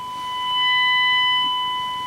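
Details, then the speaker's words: Rexina medium-wave AM radio receiving a DDS-modulated 1 kHz test tone: steady tone with harsh buzzy overtones as radio nears the transmitter; audio distorts on strong signal, owner suspects IF stage AGC not reducing gain enough. "यह इसे विकृत बनाता है, यहां यह अभी भी फिट बैठता है और अगर मैं सिर्फ रेडियो को करीब लाता हूं स्टेशन बनाओ, यहाँ वह विकृति है, यह अभी तक"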